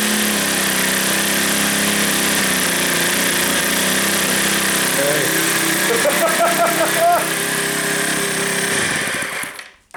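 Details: RCV 91-CD rotary-valve four-stroke glow model engine, reassembled after cleaning and timing, run warm; fast even buzzing with no misses or rattles until shut off: normal running.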